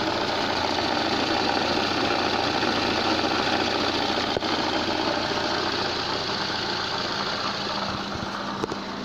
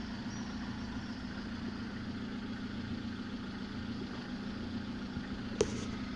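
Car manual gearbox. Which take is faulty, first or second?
first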